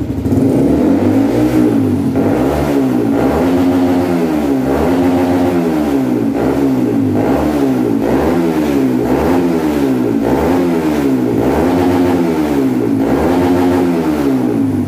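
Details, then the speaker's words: Honda CBR150 after ECU remap, rev limit raised from 10,000 to 11,500 rpm for daily use: crisp single-cylinder revs climbing and falling repeatedly, reaching the higher cutoff cleanly; engine pulls smoothly. "Biasanya di 10.000 RPM udah limit. Sekarang 11.500 baru limit."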